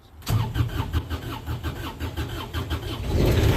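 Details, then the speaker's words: Kubota RTV900 with 3-cylinder diesel, in neutral after holding glow plugs: slow uneven cranking about three turns a second for nearly three seconds, catching only once throttle is given; hard starting. "Come on, Betsy. Oh, she don't want to go. Let's do that again."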